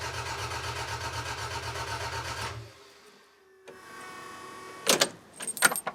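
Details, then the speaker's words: Toyota MR2 engine cranked for first time after rebuild, including rebuilt oil pump; about two and a half seconds of even, unlabored cranking at roughly eight pulses a second; oil pressure light flickered but didn't go out; no leaks seen. "Oh, I'm so happy it at least turned over. I generally wasn't convinced it would."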